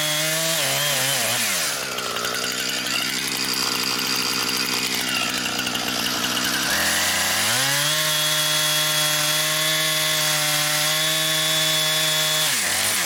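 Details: Brand-new Husqvarna 460 Rancher chainsaw, first run, cutting wood. High, steady scream bogs slightly into the cut and recovers cleanly at full revs. Smooth, strong-running saw with no faults.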